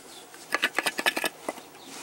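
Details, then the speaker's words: 2002 Chevy Silverado 5.3, one of two catalytic converters cut out and shaken by hand: quick hollow gravelly rattles from its loose inner core, which caused a loud rattle mistaken for transmission noise; converter still working, being replaced. "rattles this side right here here moves around so if you have a truck that sounds like that could be your converter"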